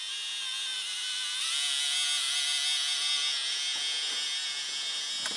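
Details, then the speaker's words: Roco HOe narrow-gauge starter set 31034 locomotive, straight out of the box, running on track: shrill high buzzy whine rising then holding; runs fine but unusually noisily, also starts with a jolt. "it does run when it runs it runs fine but it runs very noisily"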